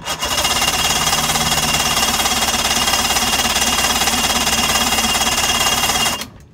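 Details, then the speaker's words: 2005 Mercury 115 two-stroke outboard on a Mako, after the oil-fouled plugs were cleaned and with no safety lanyard fitted: even, fast cranking for six seconds, never fires. "Okay, so that doesn't seem to be working. I don't see any safety lanyards, so it's not like I got a safety lanyard stopping spark."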